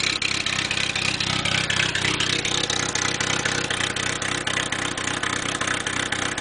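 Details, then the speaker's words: Engine in a hot tub project, owner suspects a failing head gasket (water in oil), with newly fabricated open dual exhaust and crossover: steady idle, crisp even pops about four a second, loud raspy bark. Normal idle. "so now she's got dual exhaust it ain't the prettiest dual exhaust but it's there so now let's see what she sounds like i like it"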